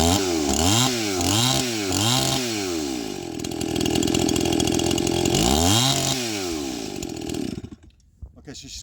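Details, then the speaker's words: Stihl MS261 first-generation two-stroke chainsaw with a gutted, ported muffler, rebuilt Zama carburetor and 30:1 mix at 7000 ft. After tuning it blips, then settles into a steady, even idle, with the low jet slightly rich: normal idle. "got a good idle just getting enough air and fuel I tuned up the throttle just a little bit touch the throttle up just a little bit the low jet is just a little bit rich"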